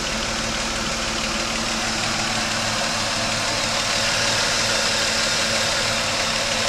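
Steady idle with a fairly regular light knock around three per second over a hissy background; knocking at idle, cause unclear.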